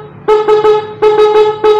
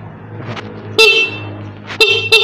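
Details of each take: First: Standard motorcycle horn, before repair: two sets of three short toots with a thin, reedy, nasal, hoarse tone, weak, likened to a snail horn; owner goes on to remove it to fix it. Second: Motorcycle horn after fix with rubber piece added: sharp bright toots, one long and three short, clear and strong with steady pitch; horn now sounds properly.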